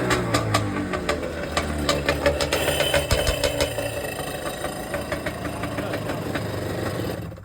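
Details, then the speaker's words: Nearly finished project 650SX two-stroke jet ski with vintage parts and a PGS water box, running on its own out of the water: loud rapid crackle at fast idle that settles steady; healthy, just loud through the water box. "Yes! It's pretty loud with this water box. We'll see how it is once it's actually in the water."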